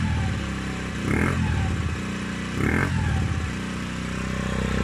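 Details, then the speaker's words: Peugeot Kisbee four-stroke scooter just fitted with an aftermarket exhaust, warmed up: even idle with short throttle blips that rise and settle cleanly; healthy idle, revs not high. "now that it has warmed up a bit the revs aren't that high and I think it sounds pretty good"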